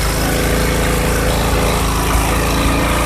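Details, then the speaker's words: Briggs & Stratton engine on a 2021 Black Max push mower with a severed shaft from an impact: loud, even single-cylinder putter with good compression and no knocking or clatter; internals appear to have survived; normal running. "I don't hear any knocking or clamoring going on. Wow, it's a shame that shaft got broke. That engine really runs great."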